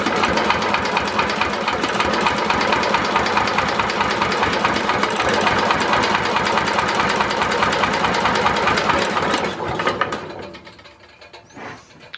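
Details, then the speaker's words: Simplicity Landlord 2010 tractor, starter bumped over after fixing timing and installing a new flywheel key that had sheared before: even, rhythmic nine-second cranking with no slipping, clacking or binding; normal starter cranking. "that sounds pretty good doesn't sound like it's gonna share off a key again"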